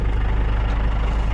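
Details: 6x6 Land Rover Perentie ambulance diesel just started via a temporary start button, pending a new ignition switch, after a suspected bad start solenoid. An even, smooth low thrum at steady idle with no knocks, misses or hunting; running normally.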